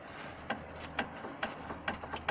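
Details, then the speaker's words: VW Caddy anti-roll bar link with at least 1 cm of play, rocked by hand underneath the car: sharp metallic clacks about twice a second. Suspected worn link as the suspension knock source; replacement planned. "таке ж розбиття, ну не знаю, люфт сантиметровий мінімум. В принципі, там вже напевно так роздовбано, що воно і створює такий стукіт."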